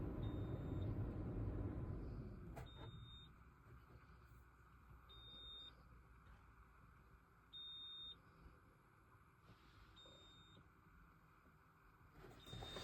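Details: Polestar 2 cabin: short, sharp high warning beeps repeating about every two and a half seconds over a quiet interior; cause of the chime unknown.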